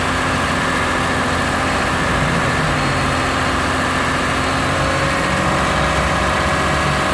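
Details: Warm Lexus RX330 with 3MZ-FE V6, held at raised revs around 1,000-3,000 rpm; busy rattly mechanical clatter over the engine note, owner unsure of cause, asks if piston knock.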